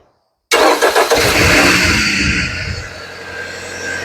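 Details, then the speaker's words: 2013-2016 Dodge Dart first start after engine/transmission replacement, with fresh coolant and battery installed: cranks and fires at once, flares up in revs and settles to a smooth steady idle. It starts cleanly; leaks still to be checked. "right so she fires up so we're gonna have to check the leaks"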